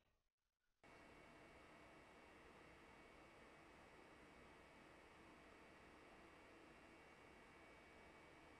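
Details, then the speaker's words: Ender 3 3D printer at idle after replacing both the stock mainboard fan and cooling fan with Noctua 40mm fans on buck converters: steady, quiet airy whoosh with a slight hum, no rattles. "this is the printer at idle and this listen to it sounds fairly calm and doesn't really make too much of a sound other than a slight humming"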